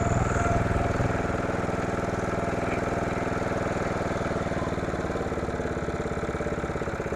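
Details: Simplicity rear-engine lawnmower that sat 32 years, now running after adding oil and charging the battery: a steady, even single-cylinder putter with a regular beat and no misses or knocks. Runs cleanly, and forward and reverse work.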